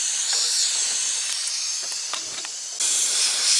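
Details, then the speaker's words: Big truck dashboard air cylinder after the air line was trimmed and pushed back into its push-in fitting: continuous sharp high hiss, briefly louder, still leaking at the fitting before it sealed once the line was reseated. "apparently it's still gonna leak maybe if I pull it out far enough"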